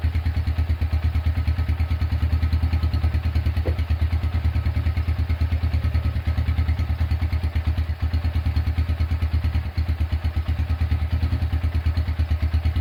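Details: Honda Tiger single-cylinder engine after restoration, first start, broken exhaust bolt repaired and starter cable replaced: steady, even low thump running cleanly through the revs, no clatter or misses; engine smooth and healthy.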